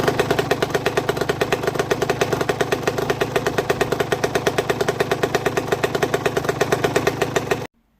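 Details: Aprilia RS 125 two-stroke running with a sharp steady knock about eight times a second over its buzz; owner has checked the small end and big end bearings and cannot find the cause.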